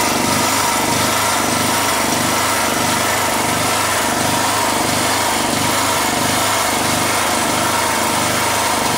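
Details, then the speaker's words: Generator engine running loud with a low throb rising and falling about 1.5 times a second, surging; cause not yet figured out. "Oh, he wanted to see what's that making that noise. That little surging thing, because I couldn't figure it out."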